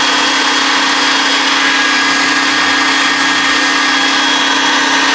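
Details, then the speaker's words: Homemade turbine paint sprayer built from vacuum cleaner motors, used to paint a 1967 Camaro subframe: the cooling fan and then the main fan are switched on. A steady, even high whine with constant tone and no flutter or rubbing. Normal running. "Anyway, let me turn on the cooling fan. Now, I'm going to turn on the main fan."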